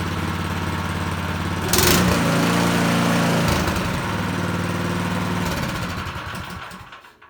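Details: Small single-cylinder snowblower engine test-started on choke before reassembly; catches and runs a steady, even putter about four beats a second, then shuts down. Runs successfully.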